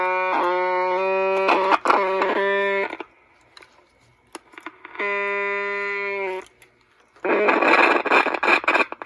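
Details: Mid-60s Panasonic R1326 AM 8-transistor 9-volt radio, first battery hookup before repair: buzzy tone cutting in and out in bursts, then crackly noise; oscillation, bad cap suspected.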